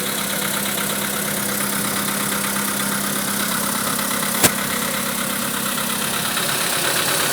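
Steady idle carries a faint, rapid knock that keeps pace with engine speed; the cause can't be told from the sound.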